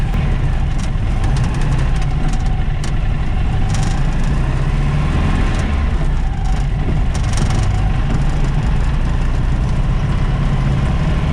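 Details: VW Baja Bug with a Weber 40IDF carburettor and new throttle linkage: lumpy, uneven idle with a ragged chuffing beat and missing pulses; a spark plug, probably left loose, blew out of its hole, leaving that cylinder dead.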